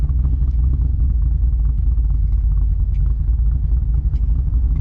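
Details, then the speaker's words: Car with a Lund ghost cam tune idling: low rumbling idle with a choppy, inconsistent lope, unlike a real cam's even chop; artificial cam lope from the tune, no actual cams. Owner notes it must be kept above 1200 rpm and the lope changes when the AC is switched on. "ng this tune is that the chop is inconsistent so normally when you hear a car loping it just says like chop chop chop chop chop but this one chops in a unique way and because you don't really you're not really running cams actual cams it's uh you're gonna get that inconsistency"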